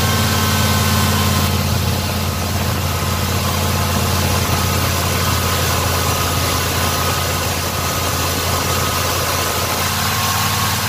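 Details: Black Pearl pickup V8 after a TBI throttle body rebuild with cleaned injectors and fuel pressure set a little over 12: a steady, even, smooth low idle rumble with no misses, knocks or hunting. Normal idle.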